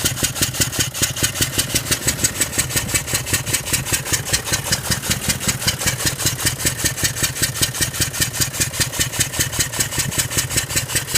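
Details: 2003 Range Rover L322 4.4 V8 on LPG, misfiring with code P1301 multiple misfire, cam sensor fault bank 1 and thermostat fault: uneven lumpy idle with a sharp regular tick-tack, two or three a second; cause unknown.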